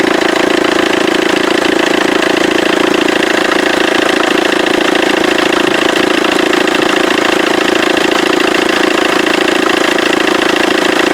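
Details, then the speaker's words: Vauxhall Corsa D 1.3 CDTI diesel idling with a loud, fast, even rattle from the left-side auxiliary belt; belt and tensioner vibrating badly because the alternator overrunning pulley has seized. "actually just heard quite a rattle sound coming from the side of this engine and it's actually from the belt itself from the auxiliary belt the problem being he saw on that clip I've just showed you there that the stretch of auxilary belt was vibrating quite badly and the tensioner was vibrating quite badly"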